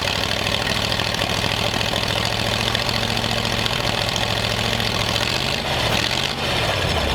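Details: Steady low idle with an uneven, lumpy beat and a brief stumble near the end, right after popping; rough idle, ignition timing likely off.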